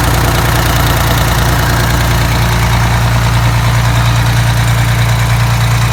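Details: Detroit Diesel 6V92TA two-stroke after installing Jake brakes on the passenger side, test run: even steady idle pulsing about three times a second, no knocks or misses; normal idle, successful test.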